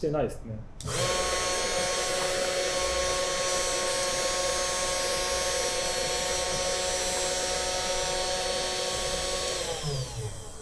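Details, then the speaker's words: Budget CNC milling machine spindle, apparently fixed at 12000 rpm; after sounding bad earlier, it now holds a clean, steady whine at constant speed for about nine seconds with no rattle, then spins down smoothly. Normal running. "Звук значительно улучшился ."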